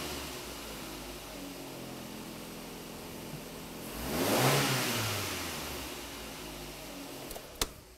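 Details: Engine at 300,000 km that made noise at 2000–3000 rpm from a defective timing belt tensioner, tested after the repair. Revs rise smoothly and settle to an even idle with no ticking, knocking or rattle; healthy.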